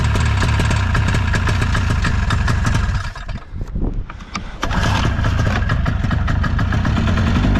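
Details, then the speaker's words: Ski-Doo 377 two-stroke snowmobile, unused for years, on old uncleaned fuel; crisp even beat that dips briefly and recovers, firing on both cylinders, normal running. "I think it's going to go I haven't cleaned the fuel it's old old [Music] old and it runs on both"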